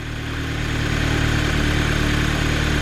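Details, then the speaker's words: Audi TT 2.0 TFSI idling after replacing PCV valve: low, steady rumble with even beat, no misses, knocks or hiss; owner says it sounds a bit better than before; normal idle after repair. "so there you go then as you can hear the TT is up and running behind me and it actually does sound a bit better"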